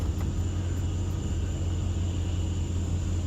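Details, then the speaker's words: 2005 Dodge Ram 1500 4x4 driving after a salvage-yard 2003 rear axle replaced the old axle, which was noisy on acceleration with the pinion suspected. Steady low road rumble, no grinding, rattling or whine rising with speed. Normal differential operation. "no grinding no rattling oh man this is great oh man this is like a whole new truck dude"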